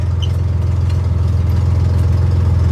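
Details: 1963 Chevy Corvair idling after years unused. It holds idle on its own, and the owner thinks the carburetors are well tuned. A deep, even thrum with no misses or knocks; normal idle.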